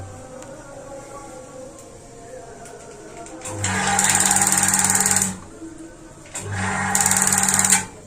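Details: Paloma gas water heater with ignition trouble: two bursts of rapid even ticking, about four per second, over hiss, igniting only at times; owner suspects a small tear in the membrane. Igniter clicking.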